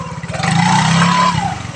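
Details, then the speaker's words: Yamaha Mio scooter after greasing the CVT pulley rollers: revving against the brake gives a smooth, even engine note with no rattle, grinding or creaking from the belt drive that was heard before; transmission sounds healthy. "setelah itu kita coba ngegas sambil ngerem. Ternyata nggak ada bunyi-bunyian kayak tadi pertama ya teman-teman."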